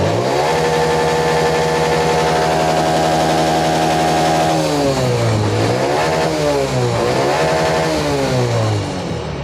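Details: Honda Dream Yuga motorcycle after a CDI problem, during a charging check at about 13 V: steady idle, then two clean, smooth revs that rise and fall without stumbling or misfire; the engine pulls up crisply.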